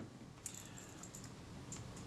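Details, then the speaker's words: Kodak Retina IIIS camera (early body, likely later lens) during strip-down service: shutter assembly removed from front and shaken gives light, irregular metallic clicks and jingles, an extremely common rattle caused by three loose screws. "so there's our Shaffer assembly the front of the camera and here you can hear a rattle that's extremely common"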